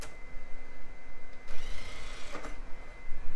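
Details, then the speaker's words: Filthy DVD drive in an early-2000s PC, tested with a Sims DVD: faint steady whine rising as the disc spins up, light mechanism clicks; drive spins up normally. "it does spin up okay so that drive should be our Drive"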